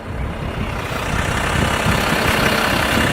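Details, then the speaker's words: 2014 Range Rover Sport 3.0-litre with Brembo brakes, warm, heard from outside while rolling then braking after anti-squeal cleaning and paste: only tyre and road rumble, no squeal or scraping; quiet brakes. "und jetzt bremsen ganz gesund und ganz geschmeidig"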